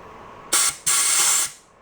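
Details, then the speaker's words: 1949 Atlas Royal 1.5 hp outboard, estate-sale barn find, cooling water passage blown with compressed-air gun after digging out crud and gasket bits: two strong hiss bursts rushing straight through, no choking; passage is open. "we sounds like it's got a pretty open passage trying to figure out a better way to shoot air into that can we like that that sounds like it's passing through somewhere and shooting out there"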